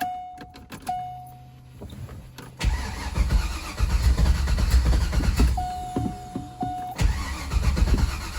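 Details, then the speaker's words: C5 Corvette after engine reinstall, not started in a long time, battery very low: a few clicks then slow, uneven, labored cranking with a grinding edge, never catching; starter suspected breaking again, leaky injector also suspected. "Well, sounds like it's trying to break again, so that's not good."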